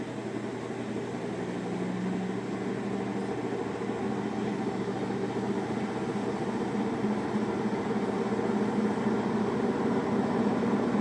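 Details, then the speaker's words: Samsung washer spinning after the calibration procedure: steady low rumble and droning hum with a faint rough whir, same noise as before calibration; suspected bad drum bearing. "I hope you can hear that noise I can hear it fine it's same noise exactly bad bearing on the [Music] machine this is after calibration procedure"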